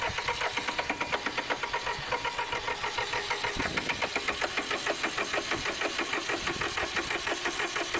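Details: Massey Ferguson 1010 tractor diesel on a cold start during radiator replacement, air cleaner full of dust: uneven clatter with sharp, rapid knocks about twice a second over a harsh rattle; rough running, cause unclear.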